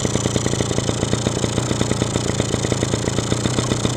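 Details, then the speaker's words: Two-stroke engine after a carburetor rebuild: crisp, even popping at about ten beats a second, holding steady without hunting — normal idle, now running as it should. "Работает. Вот сейчас он на холостом ходу работает как должен."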